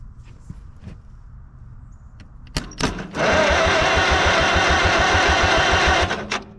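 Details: 1945 Farmall H tractor, long sat, cranked after lightly filing the corroded points: about three and a half compression beats a second for three seconds, never fires. Still no spark.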